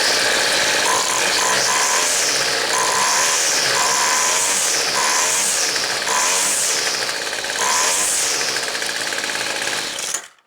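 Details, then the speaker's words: Weed Eater two-stroke trimmer, after opening the low-speed jet a quarter turn: quick rev-ups are clean with no bog, but each stumbles slightly before top speed, blamed on the high-speed jet not getting enough fuel. "okay the bog's gone still has a little hesitation getting up on top speed but that hesitation getting up to top speed is not now it's not the low idle speed adjustment it's the hide on not getting enough"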